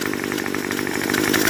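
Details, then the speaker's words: Two-stroke string trimmer (Craftsman block swapped in), warmed up: high buzzing note with a faint squeal riding on top; runs well, but the clutch squeaks. "as you can hear this trimmer runs pretty good the only thing you can hear is a little bit of a squeak coming from the engine that is the clutch the clutch on these trimmers really likes to make lots of squeaking noises"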